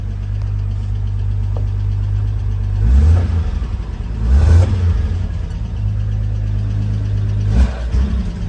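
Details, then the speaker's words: 1980 Toyota RN30 Hilux 4x4 with a Holden 186 six, just started and not yet warm. Smooth low idle, but each of three throttle blips stumbles and sags before picking up. Owner suspects it needs to warm up; cause unclear. "Oh, didn't like that. Maybe I need to let it warm up a little bit."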